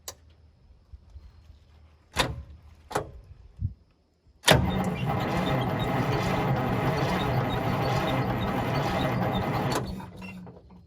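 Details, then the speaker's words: Detroit Diesel 6-71 swapped into a vintage GM 4104 bus, first start attempt: a few clicks, then about five seconds of laboured cranking with no firing. It fails to start, and the batteries seem dead despite being fully charged and disconnected. "Pretty anticlimactic. Batteries no good? Yeah, they seem pretty dead. So we got to get some new batteries."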